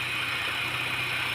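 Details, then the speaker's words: 2004 Honda Jazz GD, manual: steady, even idle with no stumbles, misses or knocks; engine running smoothly, engine bay view. "ตนี้ครับเครื่องนิ่งๆนะครับไม่สะดุดกับน้ำก็นิ่งๆเลยครับตนี้รถติดเครื่องอยู่ครับน้ำนิ่งๆเลยครับ"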